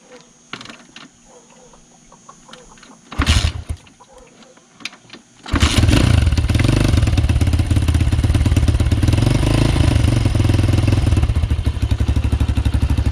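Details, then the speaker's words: Apollo RFZ Z20 pit bike with a YX140 140cc engine from a TaoTao DBX1 and a new cylinder head, swapped in after the 125cc engine failed. A few clicks, then a brisk even idle; the earlier valve-train noise is gone and it sounds healthy. "trust me this is how it's supposed to sound"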